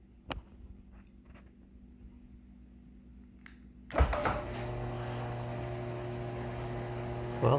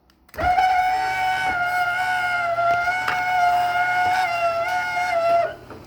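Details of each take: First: Martin DC 37e garage door opener, opened up after spraying Blaster silicone lubricant inside: clunk at start then steady low motor hum, no grinding or squeal; not making noise now, though owner doubts the lubricant helped overall. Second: Martin DC 37e garage door opener (item 799 65) making an awful noise from one part of the unit, tried after Blaster silicone lubricant: a loud, steady high-pitched squeal for the whole run, stopping with the motor; the lubricant didn't help much, and the owner wonders if something is worn out.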